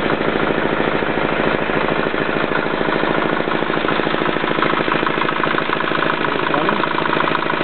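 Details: Yanclone Suntom 186CF 406cc single-cylinder diesel in a Royal Enfield, second test run after rebuild (injector, fuel line, head and crankcase gaskets replaced, valves decoked), primary drive not yet refitted: steady, evenly spaced fast clatter, no misses; healthy idle.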